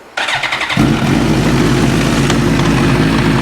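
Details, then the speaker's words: 2005 Suzuki GSXR 1000 after correctly reinstalling a mis-assembled Brock's Performance clutch mod: idles with loose, irregular popping, knocking and slapping, unchanged with clutch pulled in or out; knock not fixed, source undetermined. "You hear that popping and slapping? Doesn't make a difference, pull the clutch in or out."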